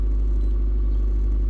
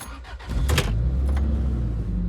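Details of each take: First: Toyota Previa in park holds a steady high idle of 1400 RPM after being revved, dropping to normal once put in gear; P0171 code present, cause suspected, not confirmed. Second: Toyota Previa started after a transmission fluid change and code clearing. The engine catches quickly and settles straight to a steady, even idle with only plastic rattles; it previously hunted high and low and occasionally stumbled, so this is a normal idle.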